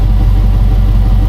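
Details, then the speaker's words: Chevy Suburban warming up, heard from underneath: sharp rapid puffing tick riding each firing pulse; exhaust leak from blown flange gasket, exhaust has catalytic converters removed and Flowmaster muffler. "trust me there's an exhaust Lake let me show you right there this flange G basket is blown out right there"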